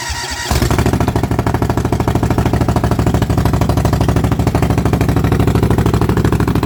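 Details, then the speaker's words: Cub Cadet after cold start on carburetor-bowl fuel, electric fuel pump connected while running, reasonably fresh gas, oil pressure confirmed; catches after brief crank into a steady, even thumping run with no misses or knocks; normal running. "so yes it had oil pressure uh and it actually ran pretty good"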